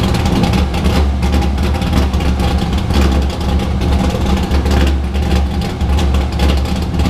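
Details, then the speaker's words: Drift car started after being rebuilt and primed; at its first startup the owner said it sounded off and hesitated when pulling away down the street. Deep idle hunts and pulses with a loping, irregular beat. "so then i backed it out of the spot and then i was trying to go down the street and it was giving me some hesitation in the beginning and i was like oh great"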